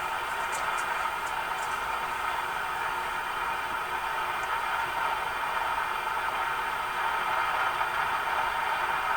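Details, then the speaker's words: Sparton Model 67 vacuum tube radio after all paper caps were replaced, with a constant rushing hiss and sharp crackles: breakdown noise, suspected to come from the audio amplifier section or the power supply. "so this this noise is now coming in the amplifier section the radio the audio or they could be in the power supply"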